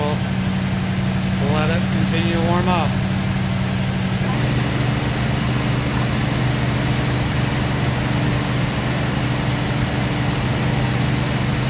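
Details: 1970 Ford F250 after carburetor float needle and seat reinstalled, test start watching for fuel dumping: steady, even idle with a constant low drone shifting slightly as it warms; running cleanly, normal warm-up idle.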